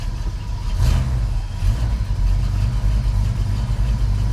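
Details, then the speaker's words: 1989 Chevrolet S10 pickup V8 idling normally at 500–600 rpm, steady low burble with no knocks or misses; 60 psi oil pressure, about 13 V charging, half tank of fuel. "Yeah, she idling about 500 or 600 RPM, but good oil pressure, 60 pounds."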